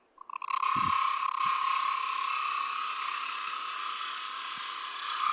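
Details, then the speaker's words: Light lathe cut on a Brazil nut husk bowl with a finger behind the bowl for support: steady high hiss with an even tone and no chatter; the damping removes vibration and gives a cleaner cut. "So, a little bit less noise there just because I got my finger behind the bowl and just giving it a little bit of support and that damps some of those vibrations."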